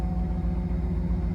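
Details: 2007 Cadillac Escalade with no-start no-crank fault, fires right up after removing a green clip (BCM suspected): smooth low V8 rumble with even quick firing pulse, no ticks or stumbles; healthy steady idle.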